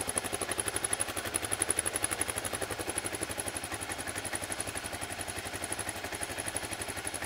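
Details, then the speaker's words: Gen 1 Kawasaki KLR 650 single-cylinder idling after a fresh oil change, before the oil level check; even, steady thumping with no knocks, ticks or clatter, engine sounds healthy. "okay so I'm going to turn it on let it idle for a few minutes and then check the oil level"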